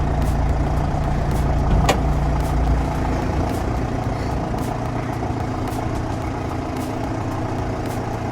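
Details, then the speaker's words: 2006 LTI TX4 London taxi, 2.5 L Chrysler diesel inline-four, 490,201 miles, cold start after sitting a few weeks: it starts on the button and settles into an even, steady low diesel rumble with no knocks or misses. Healthy. "Sat for a few weeks, but started on the button."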